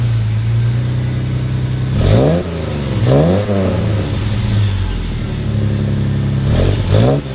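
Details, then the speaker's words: Jeep after installing a quieter muffler, a possible rattle suspected from a heat shield, steady low idle with two quick throttle blips that settle cleanly; subdued exhaust note, running normally. "poor Jeep sounds like it got neutered it's very nice and quiet and I do enjoy that about an off-road vehicle when they're nice and quiet said nobody ever however it does sound a little it is less loud and that's what we were going for"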